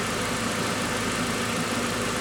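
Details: 2003 VW Passat 1.8 turbo with a P0011 camshaft timing code, idling with cam timing already shifted: steady, even idle with no misses, knocks or surging; sounds healthy.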